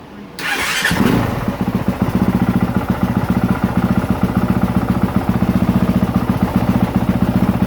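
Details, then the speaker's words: 2023 Honda CRF450R, warming up to check for head gasket leaks and stator charging: the single cylinder catches at once and settles into a steady, even idle thump with no misses or knocks; charging reads 13.64 V, healthy. "and then also we're going to let her get nice and warm and make sure that we don't have any head gasket leaks or anything"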